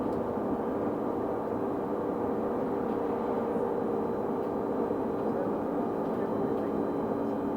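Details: Stagecoach London North bus SLN 82060 on night route N199 near Bromley Road/Catford: a steady mid-pitched whine holds the same note over a smooth drone, not changing with speed. Constant-pitch whine, source unclear.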